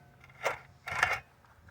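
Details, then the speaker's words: Original mower engine turned over by hand, reinstalled after being pulled: short bursts of metallic ratcheting clicks between pauses, periodically locking up then turning again, as if something broke loose inside; cause unknown. "see, it just locked up that time, but now it's turning around again, and now it's like, it keeps trying to lock up. Like, you guys hear that ratcheting noise that's inside of there."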